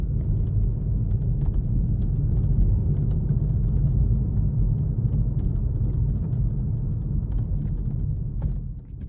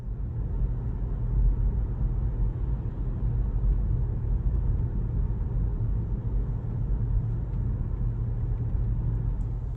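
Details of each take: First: Kia Stinger driving, heard from inside the cabin before the fix: irregular light metallic clicks and rattles over heavy road rumble. Sunroof rattle, later fixed by laying rubber strips under the lifted roof panel. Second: Kia Stinger driving after sunroof rattle fix (roof lifted and rubber matting strips laid under it): steady low road rumble with no rattles or clicks from the roof.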